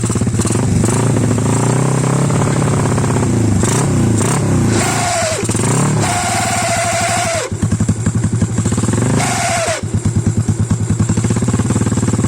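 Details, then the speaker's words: Yamaha LC135/X1R single-cylinder engine rebuilt with parts from a scrap engine, first start after assembly: rattly clatter under the exhaust beat as revs rise and fall; owner suspects unbedded bearing or poor oil circulation; noise gone after reassembly, cause unknown. "Sebab tu ada sedikit bunyi macam electric starter yang tak kuat."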